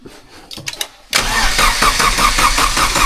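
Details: Vauxhall Astra VXR after cylinder head removal and rebuild for head lift, with a big turbo: a few clicks, then the starter spins the engine at a steady churn without firing, priming oil with the fuel pump fuse and coil pack disconnected.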